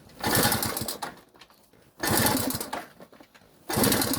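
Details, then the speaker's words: Delta moped on a cold morning, tried with fresher bottled gasoline: three short kick-start bursts of sputtering and clatter, each dying within a second; it turns over but will not start. "Поки що не заводиться. Ось не дало ніякого результату."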